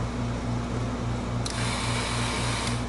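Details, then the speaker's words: Hustler Super Z mower, key on, fuel pump fuse (15 A) reinserted during short diagnosis: over a low hum, a thin high whir starts abruptly, runs about a second and stops; fuel pump priming normally, drawing about 0.4 A. "there you go and you hear the pump kick in"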